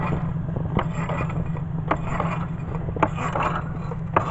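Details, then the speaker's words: Ed Leedskalnin Sweet Sixteen generator wheel, little battery barely charged in cold weather: slow, uneven ticks about once a second over a low hum; wheel turning sluggishly from undercharged battery. "working really weekers if I didn't charge it very much and it's actually very cold out here I need bigger batteries on that one anymore"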